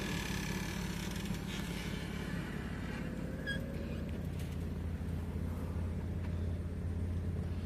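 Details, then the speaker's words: Pontiac G6 convertible revived after years in storage: steady low hydraulic pump hum with soft mechanical shifts as the roof folds into the trunk and covers close, no straining or grinding; top cycling normally. "Folds the roof away in the trunk. Closes that front cover. Closes the trunk cover."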